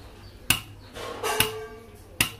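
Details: Panther 25 diesel during a tune-up with valves set to 0.4 mm, cylinder 1 injector nozzle on a pressure test: three sharp pops about a second apart, each with a crisp spray hiss; nozzle opens cleanly and atomizes well, normal.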